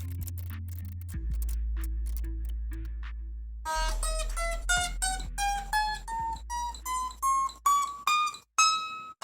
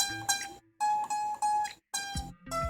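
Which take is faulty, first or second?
second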